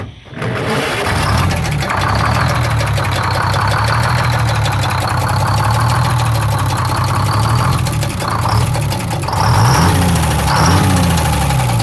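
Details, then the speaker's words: 6-71 two-stroke diesel (bus), run after checking the fuel supply and confirming the rack is free: it catches quickly and settles into a steady, even low rumble with no knocks or misses. A healthy idle. "well there you have it boys and girls believe it or not another one just listen to this sweet sounding"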